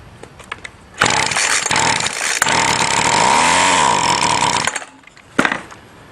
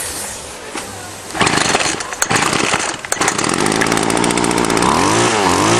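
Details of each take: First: String trimmer with new fuel line, test-started on a tiny shot of gas before filling the tank: a few pulls, then a high buzzy two-stroke roar for about four seconds before dying; fires on prime and dies, motor good. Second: Salvaged two-stroke string trimmer after the carb was stripped, blown out and its strainer screen cleaned: a few sputters, then steady running that revs up and down cleanly. Normal running.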